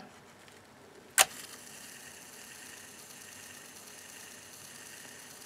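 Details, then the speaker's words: Vintage Philips EL-3302 portable cassette recorder (made in Holland) during repair, powered up: click as play engages, then soft even whir with no scraping, flutter or squeal; good torque, quiet smooth rewind, fast forward and play all normal. "it's got a fair amount of torque it's pretty good rewind nice and quiet smooth rewind fast forward play sounds good"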